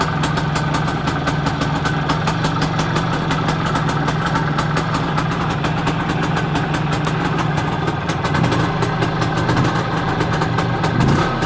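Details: Planeta 4 two-stroke motorcycle engine after repair, all-original Soviet parts: quick even popping idle holding steady with no misses or rattles; normal idle.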